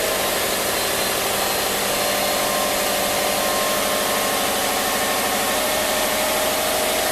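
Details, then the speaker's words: 2005 Subaru Outback XT with swapped JDM EJ20X turbo boxer on factory ECU and sensors: starts up normally to a steady, even idle with no knocks, ticks or misses; owner notes a bottom-cam rattle only when cold and put in gear. "starts up normal. Sounds pretty good."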